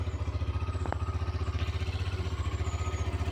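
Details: Hero Xtreme 125R single in neutral, just started, steady even low thumping at idle, about four beats a second with no clatter or misses; healthy normal idle before revving.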